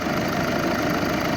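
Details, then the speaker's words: VW 2.0 TDI after timing belt replacement, coolant circulating with no leaks: even, steady diesel clatter at idle with no knocks, misses or rattles; engine sounds healthy. "engine sounds good i think we're good to go test drive next"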